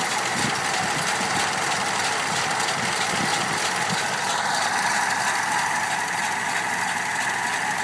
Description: We are restoring a 1987 Dodge Power Ram W150, and we think the 5.2L V8 has a bad lifter, as demonstrated by the rhythmic ticking in this video.